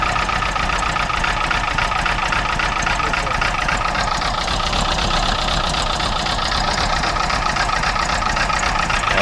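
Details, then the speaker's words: Freshly rebuilt A-series engine in a Mark III Mini Cooper S, misfiring at idle: uneven, lumpy beat; pulling number four's plug lead brings no change, so it runs on three of four cylinders; internal valve train or head problem possible. "So I would say it's running on three cylinders. Given that it's a four cylinder. If one is misfiring and then you disconnect it and then it um dies, it's likely only running on three cylinders."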